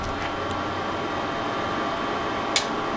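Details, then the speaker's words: Marantz 2252B receiver after repair of protection fault and one noisy channel: faint steady hiss, a single sharp protection relay click releasing, then quiet output with no crackle or noise. "out of protection and there's no more noise"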